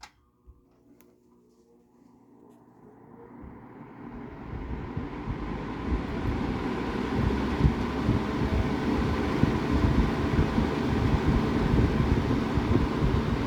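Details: Vintage Vernco (Emerson Electric) 16-inch box fan K-2, late 60s/early 70s, painted motor, on high, pulled from the wall: spins up from silence to a steady, even rush with low hum; powerful, just under 2 amps, 158 watts.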